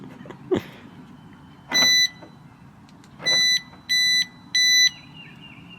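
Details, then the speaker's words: 2006 Mercedes-Benz E350 4matic W211 alarm siren replacement: four shrill, flat electronic beeps with no siren sweep; the new part is a wrong piezo buzzer, not the correct siren. "this sounds completely different what the hell is this bro that is a completely wrong part"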